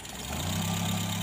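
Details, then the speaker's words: Mitsubishi Colt T120 diesel idling, owner reports rough sound; little oil reaching the cylinder head, suspected clogged oil filter or dirty oil-pump strainer: coarse, uneven steady low rumble; rough engine noise, cause suspected, not confirmed. "a Colt T teman-teman ya ini katanya yang punya suaranya kasar Lur kita cek olinya yang naik ternyata cuma sedikit temen-temen ya"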